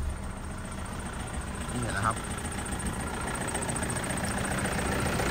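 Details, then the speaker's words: 2014 Toyota Vigo Champ 2.5 diesel, one owner: steady, even diesel clatter at idle with a firm low rumble and no knocks or misses. The engine runs tight and healthy. "เครื่องดีแท้แน่นอนครับผมเสียงเครื่องดังที่มันดังแน่นมากเหมือนเดิมนะครับวันนี้นะครับไม่ทันไม่ไอแน่นอนนะครับ"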